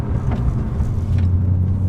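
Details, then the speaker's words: BMW E46 M3 while cruising: a heavy, low droning hum with a steady deep tone under the road rumble. The owner notes a drone problem; its cause is not yet stated. "yeah you can hear that right I've got a little bit of a drug problem I get to that in a second"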